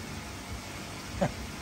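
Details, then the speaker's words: Newly fitted Apollo float valve topping up a slightly low koi pond: one short rising duck-like quack over steady water hiss as it lets water in, and raising the float shuts it off; normal float valve quacking while filling. "So, it's letting water in. But, if I raise it, it knocks it off. Makes a noise like a duck, though."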